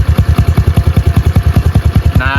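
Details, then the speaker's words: Single-cylinder pit bike after a fresh start, choke off, warming up on its own: even, steady low thumps about eight a second with no stumbles or misses; normal warm idle. "And she's running. Let it idle for a second. Let it warm up on its own. But unchoked. You can hear it."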